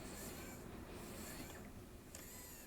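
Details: Sony PDW-530 Professional Disc camera with older lens from a different camera, variable-speed power zoom: faint high-pitched whirring in short even bursts as zoom drives and stops; motor runs smoothly, healthy.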